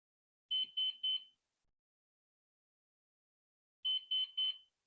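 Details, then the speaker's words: Flywing Bell 206 V3 RC helicopter, GPS unlocking in flight: sharp high beeps in groups of three repeating about every three seconds against silence, very distinct; owner hopes it means the battery is below voltage. "I wonder if uh if the the sound because it's very distinct I hope you can hear it I hope um that sound means that the battery it's uh below uh voltage"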